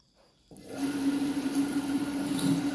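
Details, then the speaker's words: Restored Panasonic water pump, which had been leaking current, possibly from the ground wire sitting near the live wire: test run with water added shows strong, standard suction and a steady, even motor hum with no grinding or rattle. "ini sudah menyala ya Dan ini untuk tangan itu sudah mulai terhisap dan untuk hisapannya saya rasa ini standar ya Coba kita Tambahkan air lagi ya hisapannya ini cukup kuat standar pompa"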